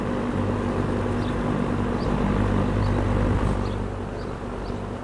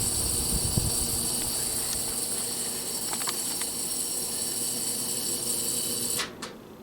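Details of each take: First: GE box fan, W22 model with plastic blades, after varnishing a loose shaded-pole coil, after several hours running: soft even hum and air rush with no buzz; fixed, running quietly. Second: GE W22 box fan on low speed: steady electrical buzz from the motor, absent on medium and high; long thought a bearing issue, actual cause a loose shaded-pole coil.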